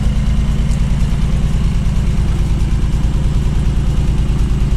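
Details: 1979 BMW 633CSi back on the road after 5 years, X-pipe near-straight exhaust: deep, even exhaust pulse with steady rhythm, no misfire or knock; healthy normal idle.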